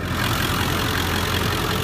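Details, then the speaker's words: 2001 Ford F250 diesel, manual: steady even idle, smooth low rumble with light injector clatter, no knocks or misses; described as mechanically sound. Normal diesel idle. "Anyway, this is a really nice running truck. I mean, there's nothing going on here mechanically at all."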